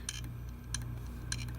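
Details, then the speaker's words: Failing hard drive connected through a USB drive adapter: sharp dry clicks about every 0.6 seconds over a low hum. Drive is not recognized by the computer; a bad, clicking hard drive. "same thing sarah as you can hear but it's clicking too so it's bad and nothing on the screen"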